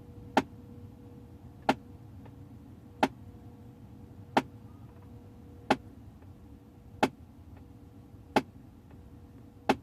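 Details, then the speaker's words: 2008 Audi A6, ignition on during HVAC flap basic-settings adaptation under the dash: sharp even taps about every 1.3 seconds while other flap motors move; a faulty flap motor keeps knocking, possibly physically damaged. "I don't know if you can hear all the motors moving and we can hear that one already making that noise"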